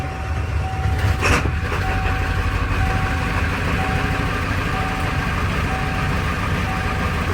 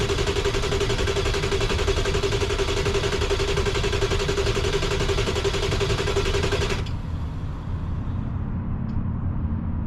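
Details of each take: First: 1995 Ford F-350 7.3 Powerstroke diesel, crank no start, suspected IPR valve (replaced): steady, even low diesel rumble with no misses or knocks; idling normally. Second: 1995 Ford F-350 7.3 Powerstroke diesel, freezing cold, crank no start after IPR valve and CPS sensor replaced; starter churns steadily about four beats a second for seven seconds, engine never catches. Owner suspected IPR valve; cause unresolved.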